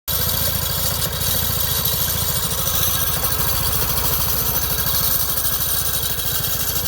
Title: 2008 vespa 250gts IE. grinding sound